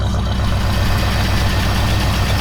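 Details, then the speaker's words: Buick estate car V8 off the road about 13 years since 2009, just started cold, oil at correct level: low, even burble at a steady idle with no misses, knocks or hiss; the engine sounds healthy. "it's a very happy uh looking engine inside it's got oil it's got the right amount of oil"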